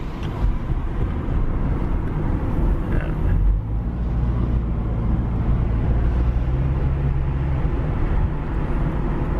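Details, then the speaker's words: Magnaflow 11366 performance muffler on a 2010 Subaru Impreza, heard from the cabin while driving off: deep steady drone, some vibration though the muffler touches nothing underneath, no rattles or knocks; normal exhaust resonance. "dude if vibrates man you can hear that thing and it's not touching anything underneath it so that's just the sound of the waves man coming out of that exhaust not bad"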